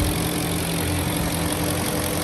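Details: 2006 Porsche Cayenne Turbo S V8, wrecked auction car listed with mechanical damage and missing one intercooler, test start: even, deep idle holding a steady beat with no knocks, misses or hunting; runs fine at idle, no smoke seen.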